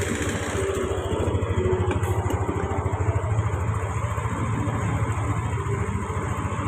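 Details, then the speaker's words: Yamaha Lexi scooter after fixing a short that kept blowing the fuse: small single-cylinder putter idling evenly at steady pace, no misses or rattles; starts and idles normally. "bisa nyala normal ya, kita gas ya, coba kita gas."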